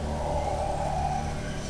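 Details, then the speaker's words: Knife drawn over a sharpening rod (artificial ruby, aluminium oxide) in a handheld sharpener; smooth, even scrape with a steady mid-pitched ring through the stroke, edge meeting the rod at the right point. Correct sharpening angle. "it's already grinding at the right point. You can hear it and feel it if it's grinding on the right spot or not."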